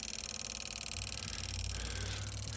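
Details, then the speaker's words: 1997 International 4900, DT466E diesel, no-start, key on: fast, even chatter of one of three relays by the computer over a faint hum; owner suspects a flickering ground wire, cause unknown. "there's three relays right on the top this one is clicking like crazy this one is not this one"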